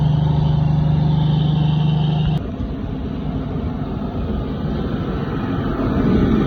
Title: Cold vs diesel engines = no start